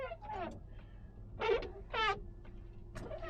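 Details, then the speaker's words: Squeaky wiper blades after a wiper restorer tool shaved the hardened rubber edge: sharp chattering squeals on each sweep about once a second over cabin hum; cleans slightly better but still noisy. "Like I said, it does clean better. It's just noisy still."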